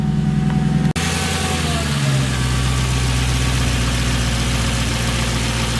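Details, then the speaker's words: Mercedes C55 AMG with 6-speed manual, first start after new fuel pump fitted: brief starter whir, engine catches cleanly and settles into a steady, even idle with no misses; normal start and idle. "Okay, here we go. First start on the new fuel pump."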